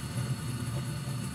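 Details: Short-cycling gas furnace, safety switch held in, after inducer fan, pressure switch and hot surface igniter: short steady low rumble of lit burners, no sputter or dropout, while dust and rust burn off; normal burner operation.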